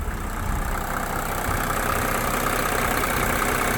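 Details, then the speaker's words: 1987 Mercedes 300SDL W126 OM603 diesel running on diesel purge after a few revs gives a smooth, even idle with a steady low thrum. It is much quieter and the clatter is gone. "Wow, this is completely changed. I just gave it a few revs. It sounds so much quieter. The clackety is gone."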